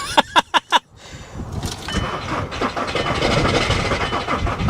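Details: Nissan Armada diesel on a warm day, glow plug light blinking, on a booster pack that fell from 11.2 to 10.4 volts: four beeps, then sluggish, uneven cranking that never catches, with smoke out the back. Slow crank, no start; owner suspects the weak booster.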